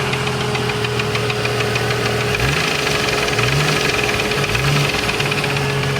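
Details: 1989 Jeep Cherokee XJ 4.6L stroker I6 (4.0L based, aftermarket pistons), knocking after 700 miles with temperatures running high: hard regular knock tracking the revs, piston slap.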